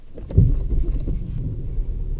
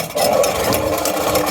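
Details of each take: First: BMW E36 with no battery, jump-started after the starter was freed by hammering it: it fires after a short crank, then a rough low rumble steadies into idle; the car starts and keeps running. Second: BMW E36 in the rain with the exhaust removed: a loud, raspy, unmuffled idle with sharp blatting pulses; the engine is running with no exhaust fitted.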